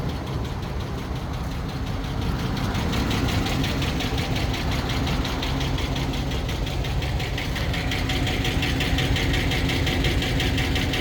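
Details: Hemi idling hot with quick, even light ticking keeping pace with engine speed, only when hot, no check-engine light or misfire; lifter tick or exhaust manifold leak suspected, unconfirmed.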